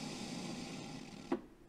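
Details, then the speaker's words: Philips EP5443/90 LatteGo espresso machine, steam going to tray when frothing: steady soft hiss after frothing ends, cut off after a solenoid tick; drain solenoid valve no longer closing, leaking. "this hissing is not normal, especially after the frothing process is completed foaming does not take place normally."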